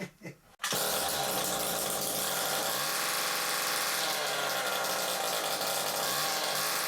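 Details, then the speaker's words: Stihl KM94RC two-stroke combi unit, carburetor replaced and air leaks fixed, with choke on it dies when revved; with the exhaust removed it gives a harsh, raw high-pitched buzz and revs freely, confirming an oily, clogged exhaust that needs burning clean. "Choke on. You rev it up and it dies. Well, I suspect that the exhaust is blocked."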